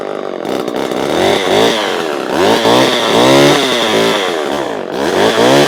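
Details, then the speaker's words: Vintage Homelite two-stroke chainsaw with thumb-pump oiler, started cold; crisp blips rising and falling cleanly with the throttle, no misfire or bogging, runs cleaner than the other saw; normal running. "that one runs a lot that one runs a lot cleaner than the other one"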